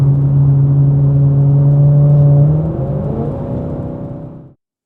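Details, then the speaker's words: Maserati GranTurismo V8 with a ruined exhaust system gives a loud, deep straight-pipe drone holding a steady low note, then drops away as the throttle closes. "Aika eläimellistä menua on kyllä täytyy sanoa. Kuuluu luultavasti viiden kilsan päähän tämä vingutus tuonne."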